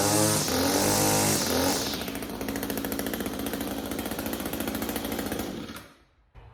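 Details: Echo SRM string trimmer with HiPA replacement carburetor kit, after a no-start fixed by fitting a new NGK spark plug: starts on the first pull, settles into a rapid even two-stroke buzz, then shuts off; running properly.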